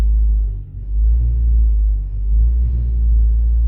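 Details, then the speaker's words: Ford Focus (1999–2007) running: heavy low rumble and uneven shudder, loud in cabin especially when shifting, from worn-out engine mounts needing replacement. "so that's nothing by vibration from the engine because the engine supports are pretty much gone"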